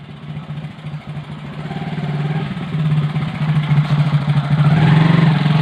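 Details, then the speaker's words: Motorcycle drum brake after cleaning parts with kerosene, sanding brake shoes and cleaning drum, then refitting: steady single-cylinder thrum building with speed, no squeal or scraping; brake noise gone. "कि sound जो है वो एकदम से नहीं आ रहे हैं।"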